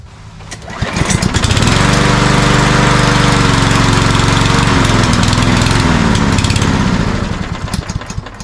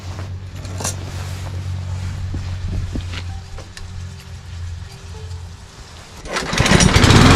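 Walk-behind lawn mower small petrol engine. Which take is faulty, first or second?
first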